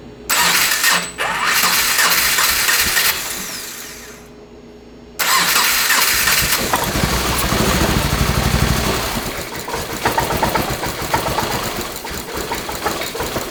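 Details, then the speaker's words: 2.5L engine-swapped first-generation Subaru Crosstrek, hand-built motor, warmed up: catches on the starter, then runs rough with ragged exhaust pops from unburnt fuel igniting in the exhaust; owner suspects stuck or faulty injectors, unconfirmed. "So there, I let it warm up so much that we started to ignite the unburnt fuel in the exhaust, which could make sense. Like if we have injectors stuck open or anything, you know, like if the injectors aren't working, then maybe it's not getting spark where it shou"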